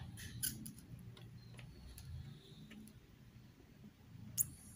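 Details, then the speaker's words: Polytron U-slim TV that fails to start, chassis opened and plugged in: a single faint power-supply chirp, then nothing, with the indicator lighting only once; B1 measured 50 V instead of the normal 115 V. "sudah terdengar teman-teman, cit gitu. Kita lihat indikatornya menyala hanya sekali saja."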